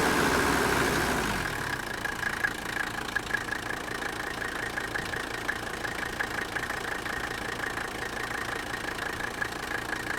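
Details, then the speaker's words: Old Mercedes-Benz turbo diesel, long unused, started with a booster battery on fuel of unknown age: brief rev, then steady, even idle clatter with the air cleaner housing barely moving. Normal diesel idle. "idle look at how smooth that is look at the the air cleaner housing not even hardly moving"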